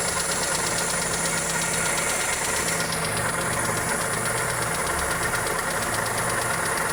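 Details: Toyota 2E engine (Corolla EE90) idling with a fast, steady ticking and knocking that follows engine speed. Suspected valvetrain or connecting rod.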